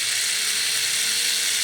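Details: Classic Porsche door mirror motor, joystick moving mirror up/down/left/right after tracing wiring (brown-and-black common wire missing in loom, likely broken in door): thin, high buzzing whir held evenly under two seconds then stopping; mirror motor driving smoothly.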